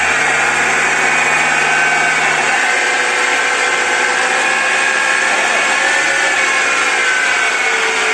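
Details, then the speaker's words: BMW X4 F26 at 90,000 km, on a lift with wheels spinning: steady high whine and hum from the rear differential, audible from low speed, rising with wheel speed; wear from oil starvation caused by an oil-restricting feed bushing. "вот надеюсь вы слышали как редуктор будет гул слышно вообще со скорости с нуля"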